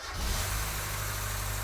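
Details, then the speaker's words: 1990 Mazda Miata after top-end rebuild, air flow meter disconnected, no cooling system yet: engine catches after cranking and runs at a rough, unsteady idle; owner says the air fuel meter stops it running beyond a second. "i know the air fuel meter prevents it from running for more than a second"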